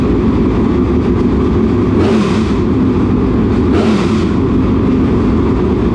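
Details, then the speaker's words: Newly installed V8 in a dirt late model race car after an adjustment down: loud, steady rumble with two clean throttle blips, no knocks or misses; engine healthy. "all right i guess that'll do i don't know i think they both sound great they both say they found like they sound like first and second place"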